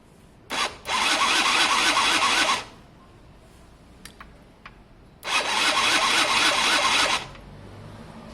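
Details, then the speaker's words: Gilera DNA 50cc scooter, after cleaning every connector: two bursts of fast, high starter whir, about two seconds each, engine never catches. Still no spark; CDI then stator suggested as next checks. "Nope, no spark at all, guys. No spark. Well, that's it for today, guys, on that one at least. No spark."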